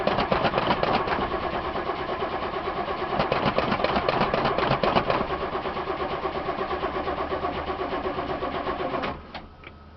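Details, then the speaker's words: 1989 Ithaca Suncruiser 31ft motorhome, Chevy 454, 28,000 miles, on a jump battery with good oil pressure: starter cranks about four turns a second for nine seconds without catching after stalling; fuel pump, bad gas or filter suspected. "that's the same thing it did last time it died on me and then it would and start"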